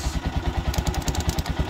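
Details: Honda TMX single-cylinder motorcycle idling during a relay and charging-system check: fast, regular ticking about eight a second on the idle beat, briefly sharper; loud tapping from the cylinder head, said to be a common TMX issue.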